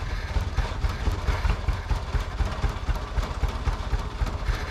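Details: 1998 Jeep Wrangler 2.5 manual, sat a very long time, started on a borrowed good battery: low uneven chuffing with irregular firing, won't stay running without starter fluid; fresh gas didn't help, owner guesses fuel pump, unconfirmed.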